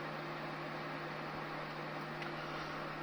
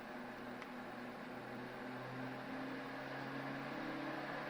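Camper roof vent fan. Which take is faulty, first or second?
second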